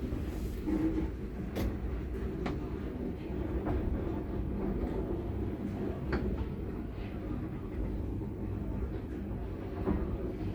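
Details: Mid-1970s Daka traction lift, 10 floors, no inner doors: low rumble of the car travelling with scattered sharp clicks every second or two; unusual running noise, cause not identified.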